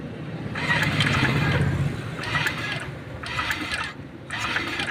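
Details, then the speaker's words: Honda Vario 125 on brief starter presses: short bursts of raspy whirring, sometimes very loud, sometimes gone then back; traced to a noisy coolant water pump. "Oke Guys nih kedatangan Vario 125 guys bunyinya aneh ini kalau di starter dikit ya bunyinya kayak"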